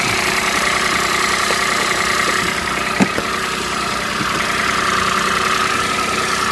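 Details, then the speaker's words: Peugeot 107 three-cylinder at idle on a cold day, just after a coil pack replacement; steady, slightly lumpy idle with one brief clunk and no misfire. The engine management light is still on, but the idle is normal. "Still rough, but it's a 3-cylinder, so it will be. Simple as that."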